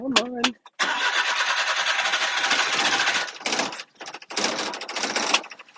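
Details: Japanese mini truck with differential and axle lock, just imported after eight weeks on a ship: several short cranking bursts with pauses before the engine catches and keeps running; reluctant hard start, cause not known.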